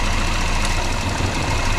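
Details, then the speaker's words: Volvo 480 engine at idle, owner suspects HT leads behind diesel-like sound; with one spark plug lead pulled it runs very rough, an uneven lumpy idle with irregular thumps and shaking low beat, one cylinder disabled. "So, how about I remove this one? Yeah, that runs very rough."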